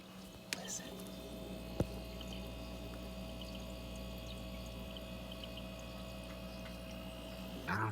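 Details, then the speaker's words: Steady compressor hum with a faint liquid-pouring gurgle in a Kenmore Elite 24-bottle dual-zone wine fridge that wasn't cooling, after recharging refrigerant; new sound, a tube now hot, refrigerant flowing. "there's like a the sound of liquid pouring or something coming out of there definitely didn't have that before"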